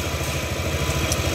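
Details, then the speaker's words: Yamaha Aerox scooter after rebuild with new parts for no-start and rough starting sound, loose cam chain: steady, even low putter at idle, no knocks or rattles; normal smooth idle. "Motor sudah menyala ya, suara mesin sudah halus ya."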